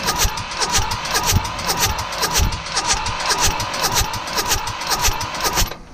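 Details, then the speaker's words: Mitsubishi D1800 tractor, KE95 diesel, after ND injection pump overhaul and retiming, fuel on: starter churns evenly for six seconds and never catches; no fuel reaching the injectors. "we're just looking for fuel coming out of these guys huh nothing's happening now I remember last time it took quite a bit of cranking to get fuel to start showing up"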